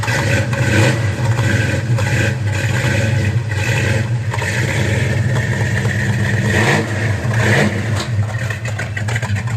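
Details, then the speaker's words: 1966 Mustang GT fastback V8, cold start just after its substantially original exhaust was replaced with a new system: deep, even burble with clean throttle blips, no ticks or exhaust leaks; normal idle and revving, sounds healthy. "this is a cold start we're going to hear the fresh exhaust it'll sound like the exhaust that was on there before because it was not that bad"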